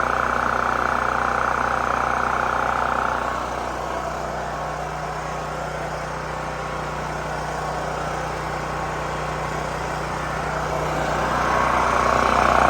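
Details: New Holland Agriculture 6500 W generator, previously seized after running low on oil, restarted with fresh gas, valve cover and spark plug refitted; steady, even hum at constant speed, no knocks, misses or surging; normal running.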